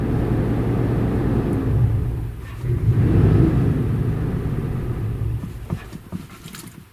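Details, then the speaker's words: Auction-bought vehicle run after sitting: low, uneven idle that dips and surges, with system failure and poor O2 sensor readings scanned and throttle reading 19; owner suspects a throttle position sensor fault, not confirmed. "oh yeah you can hear some it's like really pissed off"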